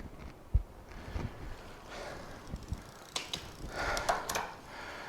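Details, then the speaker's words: Magicycle Cruiser step-through bike after derailleur adjustment, crank turned by hand while shifting from 1st through 7th gear: light ratcheting tick and soft clicks, no grinding or skipping; clean, normal shifting. "See how clean that sound is? 3rd gear, 4th gear, 5th gear, 6th gear. Again, you're not hearing a bunch of click and clack."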